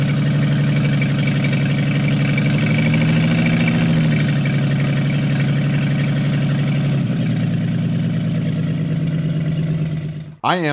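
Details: 1952 International L130 stock engine, first run after years sitting, points sanded, stuck throttle fixed, no muffler: loud raw rumble, steady even firing that settles and keeps idling. Normal idle; health unchecked, compression test pending.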